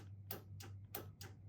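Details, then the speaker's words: 2026 Keystone Alpine Avalanche 379MB fifth wheel, electric cable-driven upper deck slide: five sharp dry relay clicks from the command system with no motor hum after; slide motor does not move. "I can hear the relays clicking on the command system, but they're not they're not doing."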